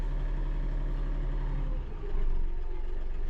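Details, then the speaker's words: New Kioti DK5320SE tractor diesel idling, heard from inside the cab: deep, steady, even rumble with no knocking or hunting; owner says she purrs really nice; normal idle. "but yeah she purrs really nice step out here and you guys can hear it from the outside"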